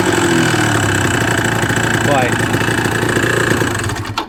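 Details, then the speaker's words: Suzuki RG125 two-stroke with fresh top end, lacking power and not revving out, at idle: fast uneven ticking rattle over a crisp idle; bottom end noisier than it should be, cause unconfirmed, oil pump setting found misaligned. "He's only just dropped it off, and it's a little bit rattly for my liking. The bottom end's a bit noisier than I would like."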